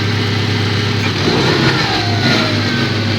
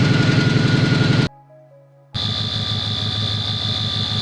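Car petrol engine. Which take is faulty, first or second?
second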